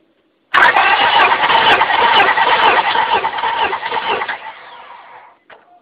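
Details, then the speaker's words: 1998 Honda Accord 4-cylinder VTEC, compression test on cylinder 4 with the ignition coil disabled via fuse, cranked 7 revolutions: even, unbroken cranking without firing; about 175–180 psi, normal. "Okay, I'm going to go ahead and turn the engine over 7 revolutions, and you'll be able to see it rise, the PSI, the compression rise as it's turning over."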